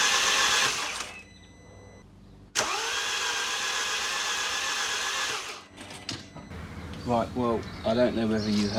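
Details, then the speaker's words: 2013 Mini N47 diesel, first start after timing chain job and engine refit: catches briefly and dies, then spins with a flat even rush and no firm compression beats; suspected low compression. "that it started up and then cut out which doesn't surprise me but what does surprise me now is it sounds like it's got no compression which is not good"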